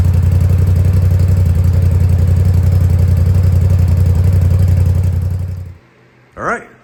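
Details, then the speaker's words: 2020 Polaris RZR Pro XP after fuel rail pressure sensor replacement for code P0195 and fuel-pressure-spike stalling, system primed: deep even idle about four pulses per second, no knocks or misses, no leaks; normal idle. "So, as you saw there, machine fired up. No problems, no leaks."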